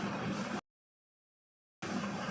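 A steady, even gas hiss from a small stove burner, burning cleanly with no popping or sputter.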